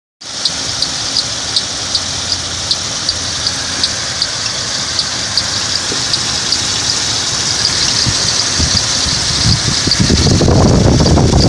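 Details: Ford Explorer 4.0L V6 idling with sharp high chirp two to three times a second after timing chain, tensioner and head gasket job; tested without accessory belt; cause was crankshaft gear behind harmonic balancer installed upside down, fixed by flipping it.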